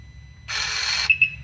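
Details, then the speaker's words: Front differential lock actuator removed from a 2023 Gen 3 Can-Am Outlander 700, bench-tested after water got into its connector, cover off: short half-second electric whir then two quick chirps as it shifts cleanly into four-wheel drive. "So what's that, diff lock or what? Front diff lock. Nice. Now I got a 4-wheel drive."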